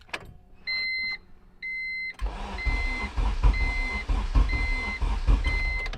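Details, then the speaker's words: K20Z3 K-swapped 1996 Honda Civic, first start attempt with newly installed Burton Racing ECU: chimes, then starter churns with steady rhythmic pulses but never fires; cranks no start because no base map was loaded into the ECU. "And silly me, I left my laptop at home, so I couldn't load a base map in it. So unfortunately, we had to wait until the next day, which is pretty much right now."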